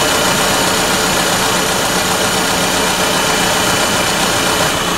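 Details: 2001 GMC Sonoma 2.2L with replaced engine, idling after coolant leak repair to check for drips: steady, even idle with smooth hum, no misses, knocks or ticks; normal healthy idle, no new leak.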